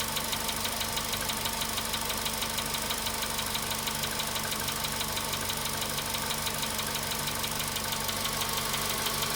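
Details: VW Polo Sedan at 93,000 km, cold-start idle: a sharp, regular ticking knock about three times a second from inside the engine; the cause is suspected, not confirmed.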